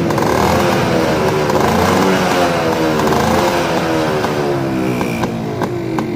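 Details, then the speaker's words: 1995 Yamaha Alfa two-stroke with original engine, revving after a kick start: crisp, ringing buzz that climbs and falls evenly with the throttle, no knocks or misses; healthy engine that still pulls well, like a stock Alfa. "Tarikannya masih enak teman-teman ya, tarikannya masih enak ya, kayak Alfa standarnya itu ya"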